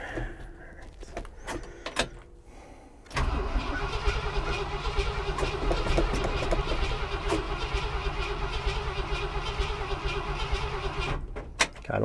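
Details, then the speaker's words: Ford F350 starter grinds engine over steadily for several seconds without catching after fuel poured in to drown it; spark confirmed, fuel added, still no start; truck was out of gas, fuel pump replaced. "we've confirmed that there's spark we've confirmed that we put fuel in it it doesn't it doesn't compute here that it's not running"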